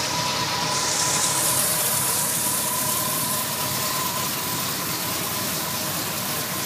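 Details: 1978 Ford Bronco idling after an exhaust leak repair: steady, even idle under a constant fan hiss, with no puffing or ticking from the exhaust; runs clean.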